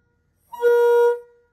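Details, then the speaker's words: Peterbilt truck being converted into an RV, air horns at full tilt: a short, thin single-note blast with no chord behind it. The horn is weak, and not all three trumpets are sounding. "these horns are weak sauce like it's not it's it's embarrassing honestly"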